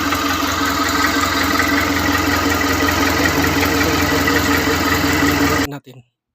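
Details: Mitsubishi Canter 4M42 diesel with a hard-starting problem, running after its original EGR was refitted in place of a surplus one: even, steady idle clatter for several seconds before shutting off; sounds healthy, normal idle.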